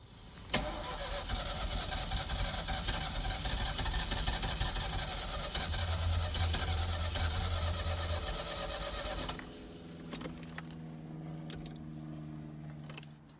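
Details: 1983 Ferrari 308 QV under rebuild, Bosch fuel distributor, fuel confirmed reaching injectors but number one plug not firing: starter spins the engine at a steady rhythm about nine seconds, never catching; cranks but won't start, cause suspected, not confirmed.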